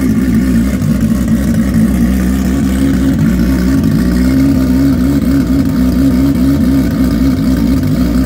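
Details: Freshly built, barely broken-in bike race engine, running on methanol with starter map, February, no fan set up: steady, even low rumble with constant beat, no knocks or misses; smooth, healthy warm-up running.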